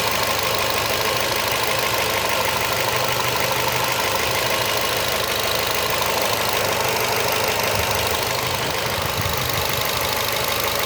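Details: Fluence 2012 engine at idle: a faint, loosely regular tapping about twice a second rides over a steady idle. It is an abnormal engine noise of unclear cause.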